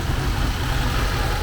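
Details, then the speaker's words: 1979 Porsche 924 fuel-injected four at idle after reconnecting loose air-flow meter hoses: low steady even beat, no stumble; running smoother, owner attributes it to airflow. "so yeah we're there running a bit smoother now and i think it all comes down to uh airflow so"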